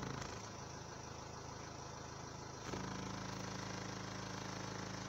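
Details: Renault Laguna 3 Coupé 2.0 dCi 180 diesel at idle with a fine buzzing rattle that changes sharply when the dash is pressed; dashboard panel vibration, cured by placing foam on each side.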